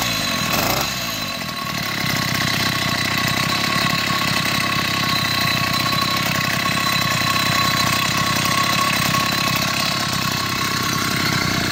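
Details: Chinese 80cc two-stroke motorized beach cruiser bicycle engine after spark problems, with a new spark plug, boot and performance ignition; carburetor issues persist somewhat: buzzy note settles into a steady, even putter with no misfire or stumble. Normal running.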